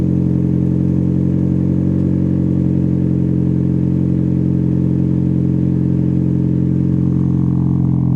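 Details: Cold start with a newly installed Spelab muffler (2.5-inch inlet), its fiber packing not yet broken in: a deep, even low burble at a steady fast idle with no rasp or leak, sounding healthy.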